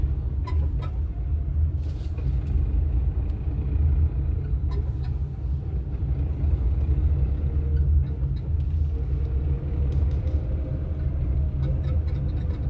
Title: Vídeo barulho no motor - 03